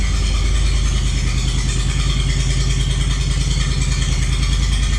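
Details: Walker lawnmower, bought from a landscaper with a no-power, not-running complaint, fires right up after the fuel pump is heard priming: an even low petrol chug at a steady beat with no misses, stumbles or surging, running normally.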